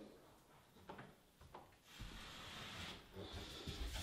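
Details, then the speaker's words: Door rehung on new ball bearing hinges, a little tight at the bottom: a soft dry scraping hiss as it swings shut is the bottom edge brushing the carpet, while the hinges stay silent. "that noisy here is the carpet but very smooth quiet should take you about 15-20 minutes"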